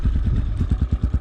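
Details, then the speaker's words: Zonsen 250 enduro with 172FMM single-cylinder engine at idle; steady low thump, about eight even pulses a second, soft muffled exhaust, no knocks or rattles; not loud with this muffler, normal idle. "Дауысы қатты емес, такой глушитель. Жылқайдауға пойдет."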